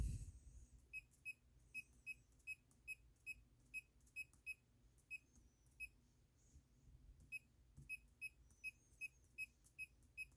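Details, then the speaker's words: Bluetooth laser projection keyboard during a typing test: short, clean, high beeps about two a second with one brief pause, one per keystroke. Key feedback is working normally. "but I actually suggest you to use at least the lowest because you actually need the feedback to be able to to to to make sure that you you know that you're pressing each key"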